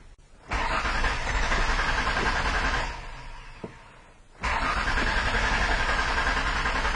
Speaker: you can see we have cranking no starts so one of the first things I wanted to do is a koe o prime see if we've got fuel pump activity